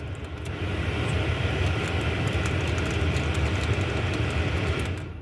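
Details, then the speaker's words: Nissan Micra K12 heater blower, switch unit previously stuck on highest speed: low airy rumble swells as the blower kicks in, runs about four seconds, then fades, cutting in and out. Speed four dead, speed three intermittent. "Number four doesn't work. And number three here sometimes will stop working, but at the moment, obviously, because I'm recording, it's not going to work."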